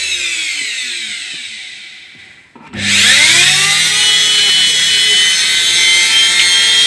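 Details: Indesit washing machine motor after lubrication and reassembly, on test: spins up from rest to a steady high whine with rising pitch, then holds smooth and even; healthy run.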